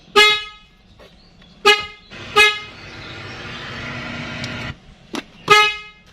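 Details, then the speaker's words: 2013 Nissan Grand Livina after replacing the horn spiral cable (horn button on steering wheel previously dead, fuse and relay OK): several short, clear, bright horn toots cutting off cleanly; horn now normal and strong. "Oke sekarang kita akan tes mudah-mudahan tidak ada indikator kita cek klaksonnya"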